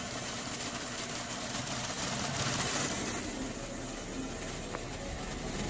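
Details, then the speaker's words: 2016 Jeep Wrangler Unlimited V6 at idle, checked with scope: uneven beat that periodically stumbles; misfire from a bad ignition coil that worsens as it heats up, coil to be replaced. "not misfiring yet there misfired there misfired there misfired mayor's fired right there misfired right there"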